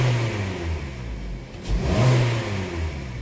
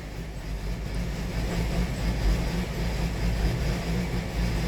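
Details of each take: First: Petrol Hyundai/Kia engine with code P1326 (TSB campaign), checked after clearing the code: idle then quick snap throttle rises and falls smoothly, no rod knock or clunk; knock detection reads off. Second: 2018 Hyundai Sonata 2.4 with P1326 knock sensor code, knock sensor showing noise detection on cylinders: low, uneven, stumbling engine beat running very rough; cause not pinned down.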